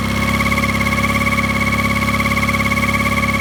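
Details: Mercury 9.9 Pro Kicker outboard at low rpm: steady mid-pitched hum pulsing about three times a second over a low idle; owner suspects bearing noise, cause unconfirmed.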